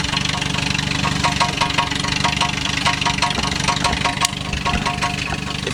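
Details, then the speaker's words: 1983 BMW 320i on a cold start, running straight pipe after the muffler fell off and the exhaust was cut: loud, raw, uneven idle with a loose metallic rattle. Exhaust rattle from the missing muffler. "can hear that that is the exhaust rattling and it is very very loud doesn't smell too good either right now because it's just a cold start up"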